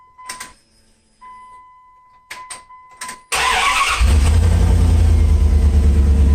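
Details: Project Catfish drag truck after priming fuel into a nearly empty tank: chimes, short crank, then a steady deep even idle; owner thinks the fuel pump is starting to go bad, being louder.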